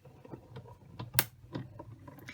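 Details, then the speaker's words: Big Shot die-cutting machine with platform, thin die adapter, cutting plates, cardstock and an oval framelit die: soft irregular crackles and ticks as the plates roll through. Normal cutting crackle. "When you hear that crackling noise, that's perfectly normal. That is just the machine doing its job."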